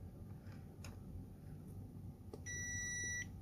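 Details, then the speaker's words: Dead server 12V high-amp power supply, multimeter continuity check across the main capacitor: one steady high beep under a second; main capacitor shorted, about 1 ohm once removed. "This is so the thing was it became dead. It was not working. So I figured it out over here and I found this um our capacitor is shorted. The main capacitor is shorted."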